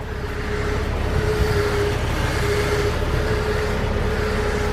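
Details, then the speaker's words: Jeep Cherokee XJ at idle: a thin, steady whine on only slight steering turns from a power steering pump fitted a month earlier. Owner found no leak, low fluid or air, so is replacing the pump. "I put it one month ago but apparently is not working fine and it's making a lot of noise"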